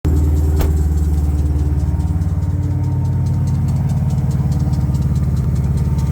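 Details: 2021 Dodge Durango Hellcat V8 at cold idle: steady rumble with fast, rough pulsing rattle from worn lower serpentine belt tensioner bearing, noisy only when cold; replacing the accessory belt tensioner fixed it.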